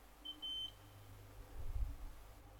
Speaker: you can hear not a very steady beep or as you probably couldn't hear so I'm gonna go over this with me sold ring on see if I can make that any better